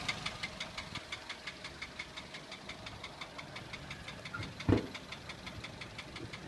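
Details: Toyota 1SZ-FE contract engine from Japan, 32,000 km, knocking began 1,200 km after installation (bearings, valve clearances fine, no debris in pan): light quick ticking knock in time with idle; seized piston pin causing piston skirt slap.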